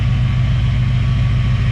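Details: Chevrolet Caprice V8 with a steady, even idle and no ticking or knocking after a new cap, rotor and water pump, with the same plugs and wires. A suspected lifter or bent-pushrod noise is now thought to have come from cap and rotor buildup.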